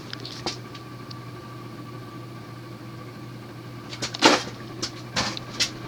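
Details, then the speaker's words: 1984 Union Ngok Kee Gulf Star 52-inch ceiling fan, cast-iron spinner motor with Casablanca blades, on medium speed: steady low hum with faint even whine, bearings a little loud but smooth, no wobble or rattle; running normally. "the bearings are a little loud but they're smooth"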